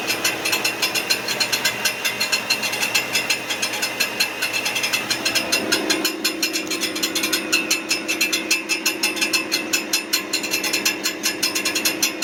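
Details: Brand-new 2023 Ford F-150 with 400 miles: rapid, even metallic ticking, clicking and light clanking/rattling over idle, apparently from near the transmission; cause unclear.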